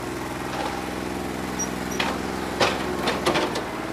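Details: New Holland 1320 diesel tractor with a bad injector, running on about 2¼–2.5 cylinders: uneven clatter with a lumpy, irregular idle beat, a misfire; owner thinks it needs an injector.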